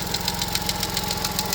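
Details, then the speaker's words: Vauxhall Corsa idling with a sharp regular tick about seven times a second, sounding like engine failure; the cause is a broken swirl flap in the plastic intake manifold, and the engine is fine. "It makes this horrible ticking noise that sounds like the rods have gone or the something's gone inside the engine. Uh but it hasn't. It's just this plastic manifold that's broken."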